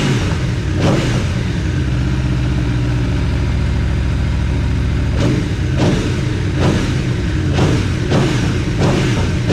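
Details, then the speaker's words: Aprilia Tuono V4 free-revving after valve clearance service and fresh oil: clean sharp blips from steady idle, no rattles or knocks between revs; no funny noises, initial chain clatter gone once oil pressure built. "bike started it uh we were able to freely rev it no funny noises there was a little bit of uh chain clatter initially but that went away when the oil pressure built up"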